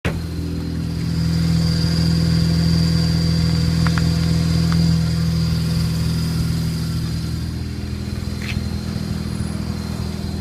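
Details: Newly installed Exedy stage one clutch, new flywheel, bearings and master cylinder: thin steady high chirp over smooth idle in neutral, starting about 60 seconds after cold start, louder after break-in, stopped briefly by tapping clutch; owner suspects bad fork.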